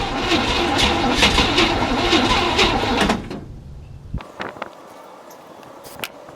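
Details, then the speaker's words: 1967 Chevy C10, 327 V8, 11,200 miles, unrun 33 years, cold day: about three seconds of steady cranking near three beats per second, never catches; crank no start, fuel delivery problem suspected after it briefly kicked. "so it still seems like it maybe it's having problems getting gas but it did kind of go for a minute so hopefully it starts"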